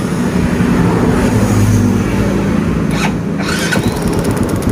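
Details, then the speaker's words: Yamaha Vega ZR/Jupiter motorcycle that started on the kick starter but not the electric starter because of a weakened pulser. After the pulser gap was adjusted, it catches at once on the electric starter and idles evenly; electric start working normally. "Oke kita coba sekali lagi menggunakan electric starternya oke langsung Mantap ya teman-teman langsung berhasil 100% berhasil"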